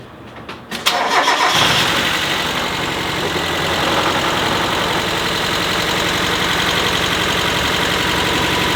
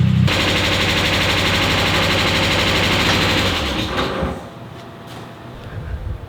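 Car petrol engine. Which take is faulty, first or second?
second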